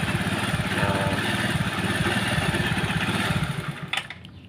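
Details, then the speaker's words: Carbureted Honda Vario with Karisma CDI substituted via 12 V relay, ignition pickup not yet changed: lumpy, uneven idle with stumbling beat, not smooth; expected normal once pickup is modified. "Jadi kalau kita dengarkan dalam kondisi belum kita merubah pick up pengapian, nah suaranya ini ginjal ya, enggak halus ya dalam posisi stasioner gitu."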